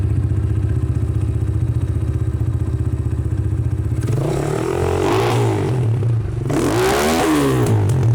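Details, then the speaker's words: Cheap Amazon 250cc-class single-cylinder dirt bike, started after sitting about five years and getting a new battery: even idle thumping about four beats a second, two clean throttle blips that settle; starts much better, normal idle and revving. "I'd say that's good to go. It starts up so much better."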